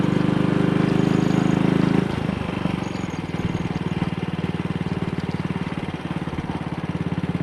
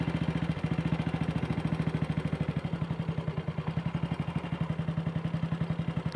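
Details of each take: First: Single-cylinder motorcycle with Wassell Evolution (Amal Concentric Mk1-type) carburettor, after refitting a dislodged, twisted needle clip that had caused misfire and a black plug; on test ride at about 45–50 mph indicated, a steady, even drone with no jerks, pops or misfire. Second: Single-cylinder bike with Wassell Evolution (Amal Concentric Mk 1 type) carb, after refitting a dislodged, twisted needle clip that caused misfiring: even, clean idle slightly fast; owner may adjust the throttle stop screw.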